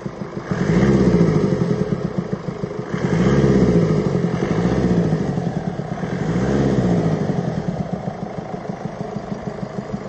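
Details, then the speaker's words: 2017 (67-plate) Mercedes E-Class, 654 diesel engine, blipped four times: a deep, rapid valvetrain knock over the clatter, quickening with each rev, caused by worn rocker arms. "as you can hear there's a deep knocking noise coming from the engine"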